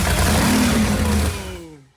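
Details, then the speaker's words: Wrecked race boat engine, suspected head gasket leak, oil leaking from a hand-tightened oil filter: loud, full, steady roar with no knocks or misses, winding smoothly down at shutoff; sounds healthy. "dude this thing is so loud I don't got my right air drum right now dude I'm sure it's powerful but it sounds healthy dude honestly it sounds healthy sounds real good"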